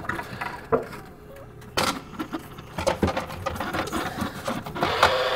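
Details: Jenn-Air JFC2089WEM11 refrigerator (Whirlpool design) damper control, up close with power on during removal: uneven bursts of rattling clicks and grinding chatter from the small motor; damper control failing, fixed by replacement.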